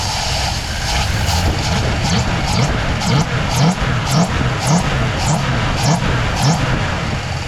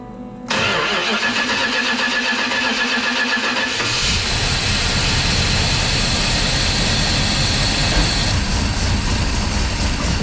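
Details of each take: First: 1965 Plymouth Fury wagon V8, throttle blipped open: uneven, lumpy surges about twice a second with a stumbling beat. One fuel injector is not firing at all and one sprays light, causing a misfire. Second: 1965 Plymouth Fury wagon with Holley EFI, after reseating injectors and fixing connectors: fires straight up, settles to an even idle, picks up smoothly with no misses; all cylinders running clean.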